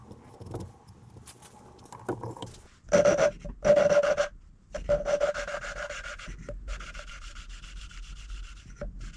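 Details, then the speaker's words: Hand-lapping a second engine valve with coarse paste: gritty back-and-forth rubbing in short bursts. The contact patch is developing, but the seat is not yet fully mated. "Okay, and you can see that contact patch is developing nicely with the coarse. Let's move on to fine."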